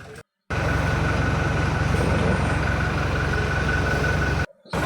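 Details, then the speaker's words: Toyota Fortuner diesel that cranked but would not start, towed to the shop; the high pressure pump was replaced and the injector fittings tightened. It now idles with a steady, even clatter and no misses or knocks, running healthy after the repair. "Pagkatapos ayan umandar na. So okay na. Umandar na yung engine so gan lang pala kadali magtrble shoot ng Toyota Fortuner."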